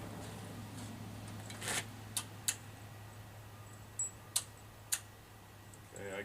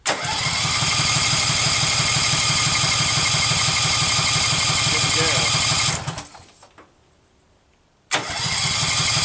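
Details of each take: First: Case 446 tractor at first start during restoration, after rewiring for spark: a few sharp crisp clicks over quiet room hum as the key cycles; carburetor fuel solenoid engaging and disengaging properly. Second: Case 446 garden tractor, first start attempt during restoration, fuel reaching the carburetor: steady even cranking at about three compression beats a second, never catching; owner suspects no spark, so it won't start.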